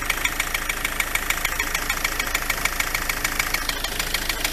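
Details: MK7 Ford Transit 2.4 RWD diesel at tick over, bonnet up: loud, sharp, steady tapping of three to four knocks a second; pulleys checked and not loose, owner suspects the dual mass flywheel, still investigating.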